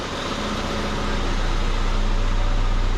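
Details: 1979 Chevy LUV pickup, 1.8L four-cylinder, idling after tune-up and timing adjustment with vacuum advance disconnected and plugged; steady even low rumble, no knocks or misses, runs pretty smooth.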